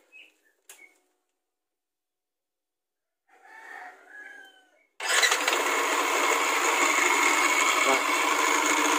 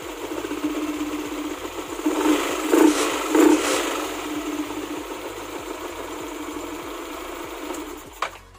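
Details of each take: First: Bored-up Yamaha NMAX scooter starting and running: harsh, gritty clatter from the left-side CVT instead of a smooth hum, despite replaced sliders and good pulley; camshaft bearing or starter gear bearing suspected. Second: Yamaha NMAX with bore-up idling smoothly after fixing the loose starter-gear bushing in the CVT, with an even hum and the earlier rattle gone; faint background music.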